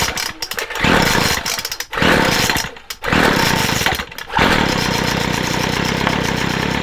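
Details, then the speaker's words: McCulloch 250C XL X-series two-stroke strimmer after carburettor repair, near-cold start (cooled 5-10 minutes), no choke; a few pull-cord tugs, catches and settles to a steady even buzzing low tick-over; starts and idles fine. "I'll call that good. I'll call that good from nearly cold start. I know it was only 5-10 minutes, but I'll call that good."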